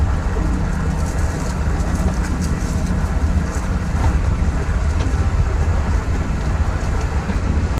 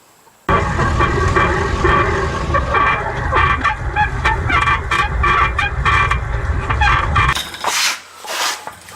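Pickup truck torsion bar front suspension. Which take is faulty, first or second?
second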